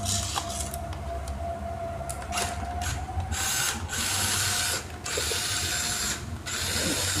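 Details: RC crawler that would not drive forward or reverse, after replacing the transistor: short bursts of whirring motor and gear chatter that start and stop cleanly with no binding or grinding. Drive works, but steering is reversed.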